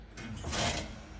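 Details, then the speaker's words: Mitsubishi Outlander 3 PHEV with mechanical handbrake, creeping in reverse as brakes are released after aftermarket rear pads replaced the original Akebono: short scraping squeal rising and fading; poor rear pads, cured by fitting softer pads. "Это колодки поганые."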